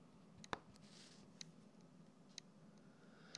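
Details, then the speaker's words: Lenovo IdeaPad Y580 laptop HDD connected over USB, mic right beside the drive: faint sharp clicks about once a second with no spin hum. The spindle is probably trying to start and failing; it spun up only after several reconnect attempts. "sowas wie hören ist wahrscheinlich dass die Spindel versucht anzulaufen aber es leider nicht schafft"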